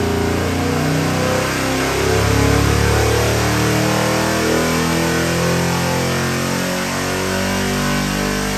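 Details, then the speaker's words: 427ci LS crate engine (about 645 hp, 590 lb-ft) on a dyno for a 1974 Chevy Camaro: a deep V8 burble swelling as revs climb and settling back smoothly, with no knocks or misses. It is healthy. "We're gonna fire it up and give you a run demo, and I believe you are gonna be quite happy."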